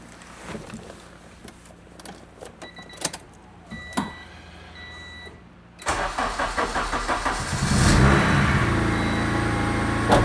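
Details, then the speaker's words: EG Honda Civic, turbo K20 bottom with RDX K23 top end, new manifold blocking water passages to stop heat soak; few clicks, cranks, catches at once, flares, settles to steady even idle, normal start. "Like a Honda. Sounds normal. Yeah, sounds good."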